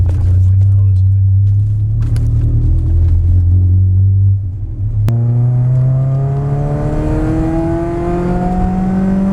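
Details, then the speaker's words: Warm 16V MK2 Golf GTI revving after CO mixture was raised from 0.7% to about 2%; strong low note dips then climbs smoothly without stumbling, where before it faltered near 5,000 revs; engine sounds healthy. "yeah it sounds good it sounds healthy yeah it sounds much better"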